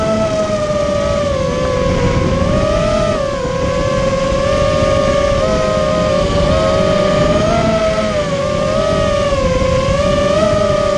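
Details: Immersion Vortex 250 Pro motor test run after trying to fix bad bearing sounds: a steady high whine wavers slightly with throttle, with no gritty rasp or rattle, so the motor runs smooth and even. One motor is barely warm and the rest feel good.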